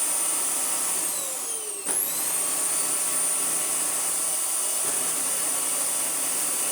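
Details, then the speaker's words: Vax Air Pet U88-MA-SE upright vacuum, shed-stored about two years, before refurbishment: high motor whine with a pitch dip and recovery and a faint uneven flutter as the brush roll wobbles; seized brush roll bearing. "this thing is hiding a terrible secret inside of its brush roll. Ah, there it goes. Oh, it's centered itself now. Can you see it wobbling around?"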